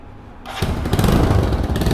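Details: Motorcycle engine idling with an uneven, rough low rumble; owner asks how to fix a bad noise coming from the engine, cause not identified.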